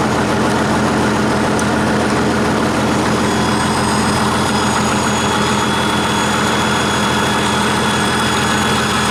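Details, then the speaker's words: 1959 Caterpillar D337F diesel genset, about 959–960 hours, long stored in a barn, first run after revival, no load, barely up to operating temperature: loud even diesel rumble, no knocks or misses; runs steady and healthy. "see it had 959 960 hours on it seems to do pretty well of course them have a load on it or anything you know it's it's barely up to operating temperature"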